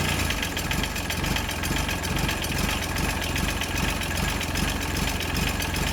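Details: John Deere 755 compact utility tractor, Yanmar 3TN diesel, first start after rebuild: rough-running engine with a steady scraping tick about 2.5 times a second; flywheel rubbing on its flywheel shield, which has a bend on top.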